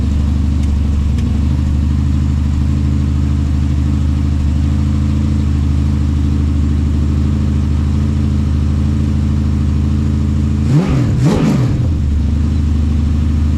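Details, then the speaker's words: LS1 V8, basically standard, 750 Holley carburettor, on engine plates: steady even low burble at idle with one quick double rev, no knocks or misses; runs clean, normal idle and rev. "So started pretty easy actually. It's basically a standard engine, but it sounds really good."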